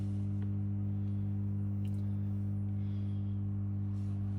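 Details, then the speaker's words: Victron MultiPlus-II 12/3000 inverter, dual 12 V links to 600 Ah lithium, inverting a 2 kW wallpaper steamer at about 180 A, before fan starts: steady low even hum, no buzz or rattle; normal. "So, currently it's on invert and I plug it in. And there you go. You can hear the typical hum, which is fine."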